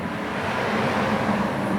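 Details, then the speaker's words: Honda Silver Wing 600 running with cover off and brake on: low squeal as soon as throttle is barely opened; suspected slipping clutch, pads slightly glazed with hairline cracks, unconfirmed. "you know had the emergency brake on and you know everything's fine but soon as I just barely hit the throttle you could hear it squealing so I'm pretty sure it's the clutch that's slipping a little bit on there"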